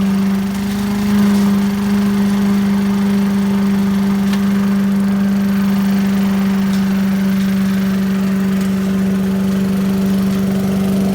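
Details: 1980s Billy Goat vacuum small engine: even steady buzzing drone at constant pitch, no misses or knocks; needed extra pulls to start, owner suspects low compression; running smoothly.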